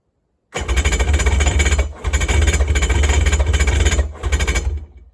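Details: Neglected Polaris jet ski with Ficht direct-injection, previously no spark and crankcase hydro-locked with oil: rough rapid chugging cranking bursts with brief catches, around attempt 16–17, nearly fires but won't start; fuel later poured into the cylinders.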